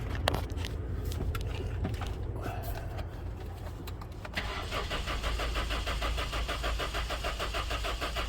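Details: Honda towed in with no start and no spark: steady starter cranking, about two beats a second, never catches or fires. Cause not confirmed, only suspected.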